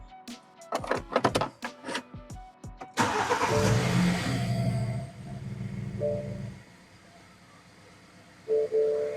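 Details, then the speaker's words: 2008 BMW 1 Series E87 with 143,000 mileage starting after the faulty low-pressure fuel sensor was replaced. The starter whirs briefly, then the engine catches and idles smoothly; no leaks and no engine errors remain. "Oh, it works. Let's see if it's not leaking anywhere. Looks good to me."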